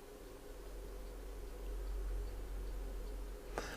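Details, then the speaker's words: On a device whose knob lacks grip, the switch is turned with pliers: quiet room hum, then one crisp click near the end as it snaps off; the switch is working properly. "I can turn it on and off look you can hear it click so it's in the off position at the moment"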